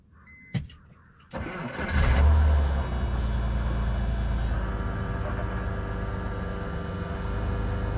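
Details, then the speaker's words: 2001 BMW 330Ci E46 coupe after replacing the fuel pump under the back seat: a short crank catches at once and settles into a steady, even idle without dying as it did before; starts and runs normally. "It's working. So do the accessory thing like 5 times and wait 10 seconds every time. So now, if you noticed how it started the first time and then it died, that's what it was doing before. And now it's not."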